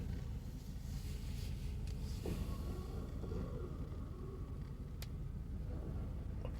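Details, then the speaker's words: 2003 Dodge Durango, long-time known muffler pinhole, check engine light on: deep, uneven low rumble with a loose burbling pulse as the throttle comes in. Exhaust bubbling under throttle, new and not yet diagnosed. "they said I have a pin hole in my uh Muffler so I'm not worrying about that that's been on there for a long time I'm the only owner of this this vehicle but now it's starting to Bubble once I use the gas"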